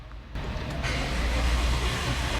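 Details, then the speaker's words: Chevy Suburban, freshly overhauled engine with misfire on acceleration, cranked with throttle wide open: short low chugging crank with uneven beat; suspects dead or low-compression cylinder, compression untested. "Saka napansin ko rito nung pinaunlahat ko siya may iba yung cranking niya. Parang mayong cylinder na hindi gumagana o merong cylinder na mababa yung compression."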